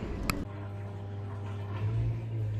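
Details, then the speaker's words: Dishwasher that was not draining, running after the filter was cleaned and everything reassembled. A steady low pump hum with a faint swish of water and no rattles or straining; it sounds normal, though the owner hopes it's not leaking. "I mean the first but sounds normal I just hope that it's not leaking or anything but I put everything back sounds good"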